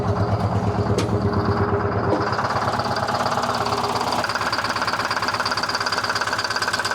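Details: 1970 Peterbilt 341 with Detroit 6V71 two-stroke diesel, unused since 2018, described as blown up; steady heavy knock about three a second at idle, persisting through rev change; injector checked fine, cylinder fired, injector swap planned to confirm.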